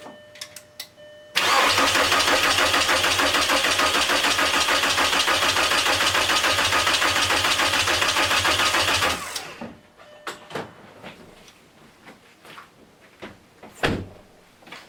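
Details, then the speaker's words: VW MK4 Golf/Jetta ALH TDI diesel after timing belt replacement, coolant refilled, first start attempt: steady even cranking about 3.5 beats/s for eight seconds, never fires; injection pump timing retarded, needs advancing slightly via three 13mm bolts. "Alright, it will not fire. That means we need to advance the pump just a little bit."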